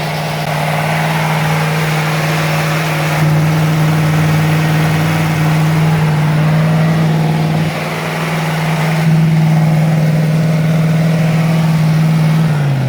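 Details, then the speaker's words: Freshly rebuilt Ford 302 V8, with a weak battery and not much ignition advance: deep idle and blips with an uneven, loping beat. It is audibly misfiring, with a cylinder dropping out. "Not too much advance. Misfire, I can hear it missing."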